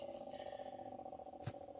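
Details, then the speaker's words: Old inducer/exhaust vent motor from a Lennox furnace (12W47), just removed, gives a rough fluttering purr over a steady mid-pitched hum with one soft knock: abnormal motor noise, before replacement with a new motor. "and there's the old motor and you can hear that strange noise that it was making"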